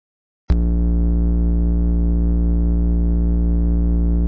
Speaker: обычно phones 50 60 герц вызывается усилителями и другими электроприборами соединенными вместе но с разными потенциалами заземления либо его полного отсутствия